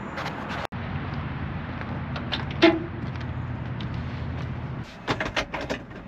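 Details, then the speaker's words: 1970 GMC 1500 with 350 V8, headers, two-barrel carb and short exhaust: deep throaty rumble holds steady before shutoff, no knocks or misses; runs nice and smooth. "so sounds good though the engine runs nice and smooth just sits there and prayers all day long"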